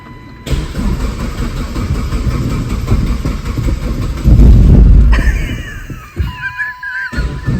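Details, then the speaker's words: Dodge Caliber SRT4 that sat outside for a long time, first road drive: a heavy, uneven banging over the engine rumble as revs climb, only above about 2,500 RPM; owner suspects rod knock, though it runs and drives smooth. "That might be rod knock. But it's only like above 2,500 RPM."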